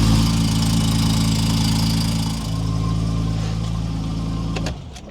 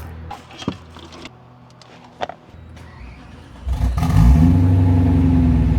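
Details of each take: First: Steady low idle with a faint, quick tick until shutdown; owner thinks the exhaust gasket was not seated right and will apply exhaust gasket maker to both sides. Very minor exhaust leak. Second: BMW E92 that had sat a while: some handling clatter, then the V8 catches and settles into a strong even run with no knock or tapping. Normal running.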